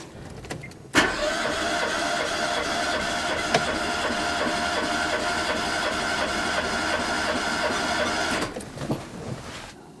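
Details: Renault Twingo four-cylinder during compression test after repair of poor compression on cylinder 4: even starter cranking, nearly three beats a second for eight seconds, strokes alike; all cylinders about 13.5 to 14 bar, compression fixed.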